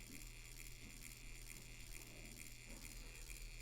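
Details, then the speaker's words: Copal model 701 flip clock, reassembled and oiled: faint steady hum with light tick about twice a second, running fast; likely a worn squared-off gear letting the motor gear jump teeth. "it's also running fast so the reason I think it's going fast is because that gear was squared off from being wore out and the the gear from the motor was just jumping jumping teeth because it was going considerably fast"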